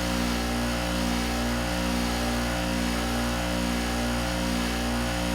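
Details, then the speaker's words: Window air conditioner, 5,000–5,200 BTU (GE ASV05LCS1 or Amana AMAP050BW), after storage downstairs: a steady droning hum with a low motor tone, wavering about once a second, but no cooling; owner suspects it is out of charge, but it later worked. "Yep, it's out of charge."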